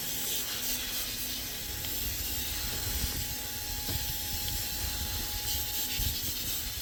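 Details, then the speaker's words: 2008 Mack with MP7 diesel during inspection, brakes applied: a steady hiss with no engine rhythm behind it. First suspected at a steer brake chamber, the air leak was found at fittings on the foot brake valve. "I hear an air leak. We're going to inspect that. Sounds like a steer brake chamber to me, but who knows."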